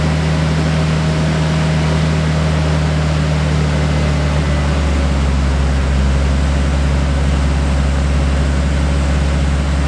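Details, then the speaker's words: Nissan Skyline R33 idling after replacing factory injectors with 840cc Denso top-feed injectors, checked for leaks: steady even deep drone, no misfires, stumbles or ticking; running cleanly. "It seems to be fine and operating, so that's all that really matters."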